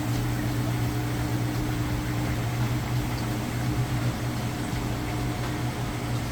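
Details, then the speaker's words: Whirlpool vortex top-load washer, final spin starting with the drain running: a steady, even low hum with no knocking, scraping or wobble; the drum spins smooth, balanced and quiet. "Final spin cycle. It's getting started. You can hear the drain running. Nice quiet operation. Smooth and balanced."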